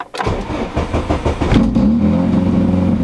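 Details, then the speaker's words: Mk3 car before repair: long uneven cranking that catches only as it revs up, then an uneven idle; hard start caused by a damaged wire with its coating worn off, due to be spliced and replaced. "that that right there yeah that one little wire that causes that I mean it still sounds great"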